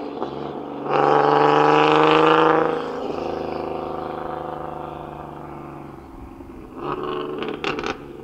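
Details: Boosted single-turbo Nissan 370Z Nismo driven on a nearly 100-degree day after an exhaust leak was fixed: engine pulls hard through a rev, then cruises with a clean, even exhaust note, no ticking or puffing; healthy.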